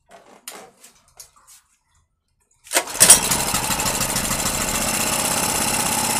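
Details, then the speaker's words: Petrol generator that wouldn't start after long storage, restarted after a valve clearance check (0.2 mm) and WD-40 in the cylinder. A pull start catches and settles into an even, steady hum with no misses: normal running. "Как вы можете видеть и слышать, всё работает безупречно."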